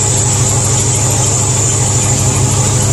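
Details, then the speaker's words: International Harvester 1210 pickup with 345 V8, first run to operating temperature after sitting a decade and a pushrod replacement: a thin high squeal over a rough even idle as temperature rises; owner suspects alternator or water pump. "temperatures starting to come up also got something starting to squeal"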